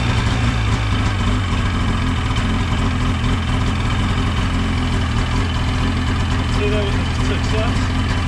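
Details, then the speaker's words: Ski-Doo 550F two-stroke snowmobile engine at its first start after cylinder repair and reassembly, choke off, with unsure fuel in the base: a steady, even burble at idle with no knocks or misses. Normal idle. "sounds good essentially if i during"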